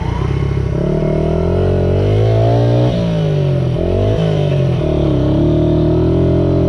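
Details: Restored 1978 Honda XR75, last run around 1989, after a misset adjustment was corrected per the manual: the small single revs up and settles with a clean, steady beat, picking up crisply without stumbling; normal running.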